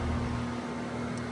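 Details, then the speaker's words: 2018 Goodman GSZ14 2-ton heat pump: compressor gives a steady, weak low electrical hum, never runs up, and keeps failing to start; running fan-only without compressor since 2:00 the previous day; cause unknown. "See, it keeps doing that. It sounds very weak. Um, so yeah, this compressor sounds very weak. It It will not start it."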